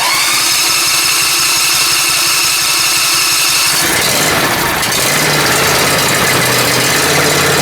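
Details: Briggs Intek M44 twin that was surging, after a full carburetor teardown and ultrasonic clean: it catches and settles into an even, steady run with no hunting or surging.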